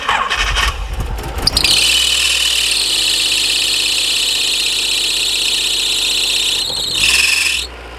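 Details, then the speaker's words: Engine with power steering and alternator belts, a loud steady high-pitched squeal starting at start-up over idle despite belt dressing; owner's lead suspect is the power steering belt, removed next to diagnose. "so we know that we're getting some squeaking I'm going to go ahead and remove the easiest belt to get to and that's gonna be this power steering belt and it's also my lead suspect here"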